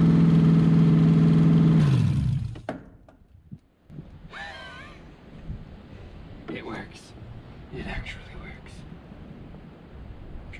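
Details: C5 Corvette V8 drivetrain out of the car, unknown-condition engine, ECU connected, open headers, first start: deep, even drone about two seconds, then shutdown and wind-off; smooth, all eight seemingly firing per exhaust-port temperatures. Normal running.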